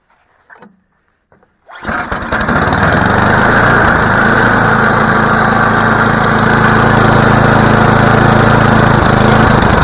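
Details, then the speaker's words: Snowblower after carburetor cleaning: pulls over, catches, then settles into steady even run with slightly rich, loaded note; choke likely still on, cause suspected, not confirmed. "works well it works but something happened maybe just needed to take the choke off"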